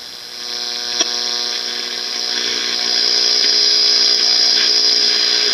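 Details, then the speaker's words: Baylor 6 transistor radio after electrolytic capacitor replacement and output-stage repair, tuned to open frequency: high, thin whistle over faint hiss shifting pitch as the dial moves; heterodyne shows local oscillator running. "so you can hear how that changes when i tune that that's usually a pretty good indication that the oscillator is running on this radio"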